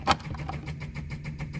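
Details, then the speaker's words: 1964 Ferrari 250 Lusso electric fuel pump run with fuel line off: quick regular ticking about eight times a second, trying to build pressure but no fuel delivered; owner suspects car is out of fuel. "you can hear it you can feel it kind of trying to come up a little bit of pressure but nothing's coming through and i believe i think the car's out of fuel"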